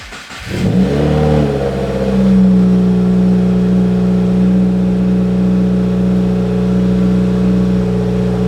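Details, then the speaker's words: Normal start and idle of a 2020 Subaru WRX after installing an AEM 340 lph fuel pump (Deatschwerks install kit, flex-fuel prep): pump heard priming, engine cranks, catches within a second, flares then settles to a smooth, steady idle; no leaks. "see looks like we're working just fine no leaks I can definitely hear that bad boy come on"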